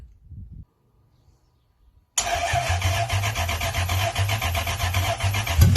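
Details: Toyota 1UZ-FE non-VVTi V8 in Altezza with plug-and-play relay setup on stock loom, manual: quick crank, fires straight into steady even idle without misses; starts normally.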